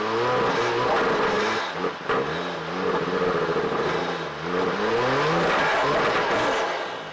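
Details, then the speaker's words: 1992 Lexus SC300 1JZ 5-speed, previously no-start (owner suspected no spark), after new spark plugs and ignition coils refitted: engine catches and pulls cleanly through throttle blips, pitch rising and falling smoothly, no misfire or stumble; normal running. "all right guys so as you can see it worked I got it running"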